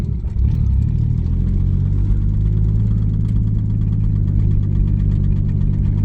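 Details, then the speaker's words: 1990 Toyota Supra Turbo manual being parted out, startup: starts pretty well but sharp, regular light knocks tap over the steady idle, keeping pace with engine speed; engine knock, cause not confirmed. "that was the 90 to Toyota Supra turbo manual here is a startup of it starts up pretty good and everything just got that knock"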